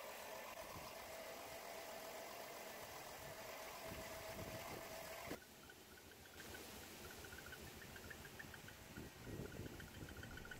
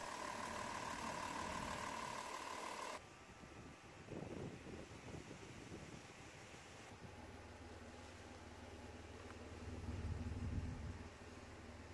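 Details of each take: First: Chrysler Town and Country with 3.3L/3.8L V6 idling rough and shaky, uneven stumbling exhaust pulse; scanner shows cylinder 4 misfire code: single-cylinder misfire heard at the exhaust. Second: Chrysler Town and Country van with 3.3/3.8 engine after fixing a misfire from a spark wire arcing: steady low idle hum with even beat, no stumbles, running perfectly with no more codes.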